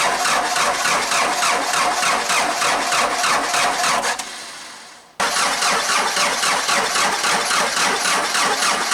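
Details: Hard cold start on a 4BT Cummins diesel Jeep at about 30°F: steady cranking chugs for several seconds, pauses, then cranks more without catching; caused by a leaking VE injection pump and no grid heater, before the pump reseal/replacement and grid heater install.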